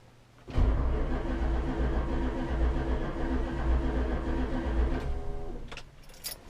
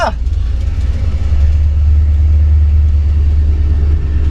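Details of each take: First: 1966 Chrysler 300 with 383 V8 on a newly installed Holley Sniper EFI, RPM signal now fixed: about 4.5 s of steady, even cranking that never fires; the EFI works but fuel pressure has not been verified. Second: 1966 Chrysler 300 383 big-block V8 with new Holley Sniper EFI, after fuel pump wires were swapped to correct polarity and pressure restored: fires straight up, steady even low rumble without hesitation or surging; normal running.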